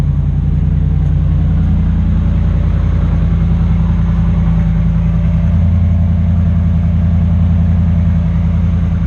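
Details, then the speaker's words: 2009-2015 Ram truck V8 with factory dual exhaust, just after bolt-on Carven muffler replacement: deep even idle burble, steady low rumble, no ticking, puffing or leak hiss; healthy idle, no air leaks found. "sounds real good. Now I just want to crawl underneath here, make sure we don't have any air leaks."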